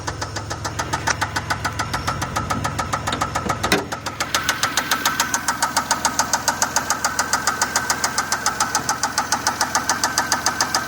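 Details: 2004 Pontiac Grand Prix 3800 Series III: a loud, sharp, evenly spaced knock/tick of about two per second over the running engine; started while driving, check engine light flashed; rockers and rods okay, owner fears bearings.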